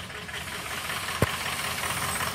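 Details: 2003 Ford F350 6.0 diesel: weak stumbling low idle with uneven beat and one hard thump, odd-side cylinders 1, 3, 5, 7 dead; combustion gas entering fuel past leaking injector seals.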